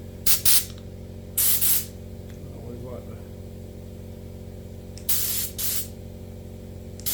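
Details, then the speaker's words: 2007 4L60E forward housing teardown, air-testing the clutch pistons at low regulated pressure with the feed ports blocked by finger: short sharp air blasts with no lingering hiss; the pistons hold and nothing leaks. "Add this one. I don't hear anything leaking. You hear it, and you let off that one, it's holding too."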